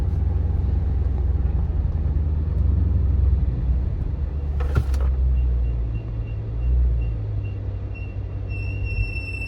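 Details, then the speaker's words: Chrysler 300 (Scat swap) after an attempted brake-noise fix, slowing from speed to a stop sign with the window down: thin high squeal rising as it stops; brake squeal persists, cause unconfirmed. "That didn't do anything. My bra still squealing, man."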